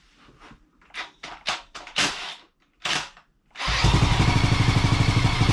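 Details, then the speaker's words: 1985 Honda ATC200X single-cylinder, original engine, first start after plug found flooded and aired out: a few starting bursts, then a steady even putt with no crank knock; runs but smokes heavily, may need a top-end rebuild, bottom end sounds healthy. "yeah we got a runner actually definitely smokes quite a bit but nothing to Top End rebuild will not fix on that bottom end sounded really good yeah we got a winner"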